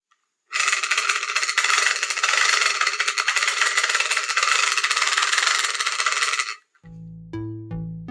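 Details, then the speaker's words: Cheap hand-crank BBQ fan: six seconds of harsh, hissy grinding with a fast uneven rattle, about four a second, while cranked, from a chewed-up drive gear. "when I tried to use my cheap barbecue fan I heard strange sounds coming out of it it was crying for help"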